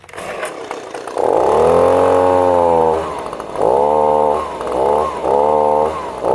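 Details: Echo leaf blower, two-stroke, after installing new carburetor, fuel pickup and air filter; started cold. Revs up high and clean, drops, then picks up crisply again each time, pulling strongly to top speed; runs normally.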